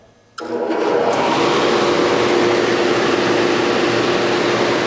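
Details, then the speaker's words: Denray 2872 downdraft sanding table: switched on, settles within a second into an even, steady rush of air with no rubbing, scraping or bearing growl; fan running normally. "there's no bearing issues the fan isn't rubbing as you can hear it's just really quiet running machine"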